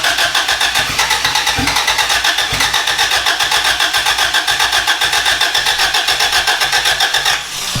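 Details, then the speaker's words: Boosted B18 Honda Civic EG hatch (turbo) cranking with rapid chatter, briefly catching near the end then falling away without running; distributor function uncertain, TPS and idle air control later swapped, cause not confirmed. "that was a lot closer okay sounded like running away I was like oh that's it that's all you get"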